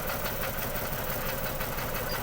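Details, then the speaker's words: Ford BA Falcon XR6 six-cylinder, 390,167 km, revived after 8 years in a paddock: uneven lumpy idle with irregular thuds; unplugging coils shows cylinders three and six make no difference, so a misfire on two dead cylinders. "number three's got an issue numbers broads okay ish number six doesn't seem to be making any difference at all the number three and number six are the faults"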